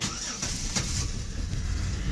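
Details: 2008 Chevrolet Impala 3.5 with no-start and long-crank complaint from a shorted 5 V reference, started with the diverter valve unplugged: brief crank, catches at once and settles to a steady low idle; clean start.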